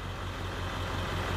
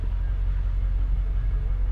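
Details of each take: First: Ford F-250 7.3 Powerstroke diesel, warm, in park, during the cylinder contribution self-test: loud clatter at idle with an uneven low pulse; code P0263 on cylinder one suggests a weak injector, not definitive; truck has a miss and shudder. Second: Ford F-250 7.3 Powerstroke diesel after fuel injector replacement for a miss, at operating temperature after 20–30 minutes idling, driving: steady low rumble without knocks or misses; normal running.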